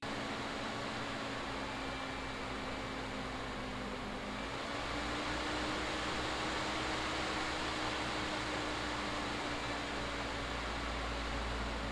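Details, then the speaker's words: Tiny ITX PC with AMD 3600X CPU and stock AMD Wraith Spire cooler, under light work: loud steady fan whoosh with a humming tone rising in pitch as the CPU fan ramps up; later replaced with Noctua NH-L12S. "you just like double click to open a folder and the thing goes haywire like a jet engine like a train on a hill wow wow okay that might be an exaggeration but the truth is it's pretty noisy"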